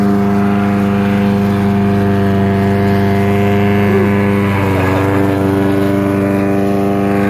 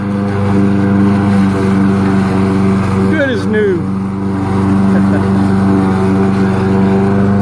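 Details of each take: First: About 11-year-old Troy-Bilt lawnmower with a fiberglass repair, uses a little oil: steady low thrumming drone pulsing about three times a second like a helicopter over the engine; unusual droning noise, cause unknown. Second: Troy-Bilt lawnmower, about 11 years old with a fiberglass deck repair, uses a little oil: steady, even drone at constant speed with a clean tone, no misses, scraping or vibration. Normal running.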